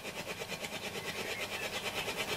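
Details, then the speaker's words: Hacker Hunter RP38A FM/AM radio on an 18 V center-negative supply after the polarity was reversed: rapid putt-putt pulsing about seven times a second through the FM hiss; bad motorboating, checked amplifier plug first, then FM alignment. "as you can hear motorboating quite badly no normally normally that is caused by the amplifier by the plug not being pushed in properly"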